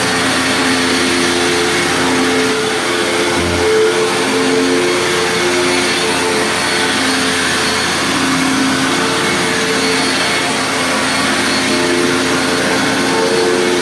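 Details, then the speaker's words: Hoover WindTunnel Plus upright vacuum, over 20 years old, running after restoring missing parts; steady, even high-pitched motor whir with no surging or grinding; motor healthy, though brush roll sounds rough on wind-down. "So you can hear the motor sounds great. It's just the brush roll sounds very rough on wind down."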